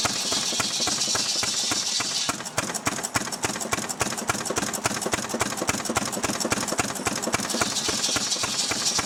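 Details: Restored 6 hp Fairbanks Morse Model Z stationary engine running on kerosene, driving a buzzsaw cutting firewood: crisp, even firing beats about three and a half per second, steady with no misses or knocks; normal, healthy running under load.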